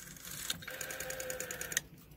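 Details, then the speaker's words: Western Electric 5-type rotary dial, cleaned and lubricated, returning: a smooth, even whirring for about a second with only light, soft ticking, not that quiet; a healthy dial. "this one is all cleaned and lubricated smooth the silk and it has has a bit of a sound to it it's not that quiet"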